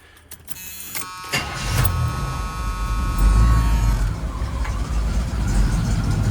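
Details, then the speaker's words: 1977 Monte Carlo V8, just converted to an in-tank fuel pump, started on the lift to check for leaks: short crank, quick catch, then a strong even rumble rising smoothly as it revs; it starts and runs healthy. "There's plenty of clearance down there. And she sounds good."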